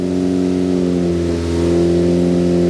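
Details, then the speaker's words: Freshly built Focus ST engine after a swap, break-in run held at 2,500 rpm for ring seating before road load: smooth, even fast idle with no knocks, ticks or misses; healthy fresh engine. "But what we're doing right now is we're doing the break-in process. So I'm doing my best to hold the engine RPM at 2,500 RPM."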